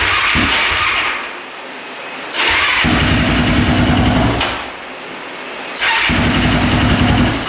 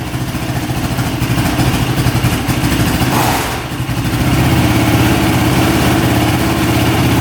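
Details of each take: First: Honda ATV on jumper battery, choke pulled out, very hard starting: fires and revs roughly, surging up and down about every two seconds and never settling to idle; points to tight valve clearance. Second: Honda ATV with small single-cylinder engine, after fitting a tighter spark plug boot: runs steadily at idle with a quick blip and dip midway, then settles evenly; sounds a lot better, healthy idle.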